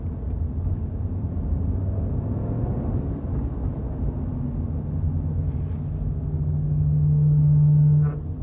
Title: Camaro ZLE Brake Noise 2